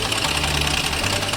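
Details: Renault Kwid engine at idle: a quick, light ticking knock sits on top of the idle. Abnormal engine knock, cause undetermined.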